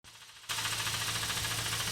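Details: Mazda RX8 231 bhp rotary, SSV removed and cleaned: a fast, even tapping from the intake side over the engine note. Owner suspects the SSV actuator link is knocking and needs a new unit or a rebuild.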